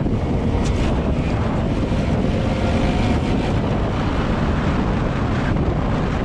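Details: 2020 LADA Vesta SW Cross, 13,300 km, 1.8 engine, AMT gearbox, updated SAAZ front struts on broken dirt road: steady road rumble and wind, no knocks or clunks from front struts; suspension normal.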